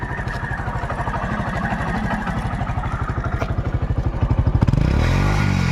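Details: TVS Star City Plus motorcycle offered for sale as in good condition: single-cylinder thump at idle, then picks up cleanly on the throttle with no knocking or misfire; the engine sounds healthy.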